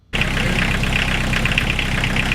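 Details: Diesel-swapped Chevy LUV pickup after glow plug replacement, clutch in, neutral: steady, even diesel clatter at idle with no misses, stumbles or hunting; normal diesel idle.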